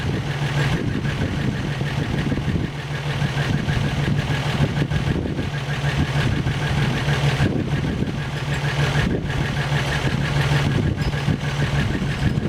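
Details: First start after an engine rebuild, 195°F thermostat holding coolant at 195°F, oil pressure pegging a 30 psi gauge, slight exhaust leak noted: catches and settles into a steady, even idle with no knocks, misses or ticking; sounds healthy.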